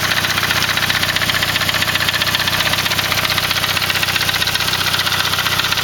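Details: Saab 9-3 with a B205E engine at idle: even idle with a crisp, regular tick about four times a second over a hissy top end. Engine noise at idle, cause unclear.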